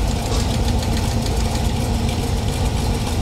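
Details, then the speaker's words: Chevy small-block V8 in a 1932 Ford Coupe, idling during valve adjustment, rocker backed off: fast light ticking over a steady idle, quickening with revs; valve lash clatter, set 1/4 turn past where clatter stops. "And I'll back it off and you'll hear the clatter. Yep. Hear that? Okay, so where it just doesn't clatter, 1/4 turn past that."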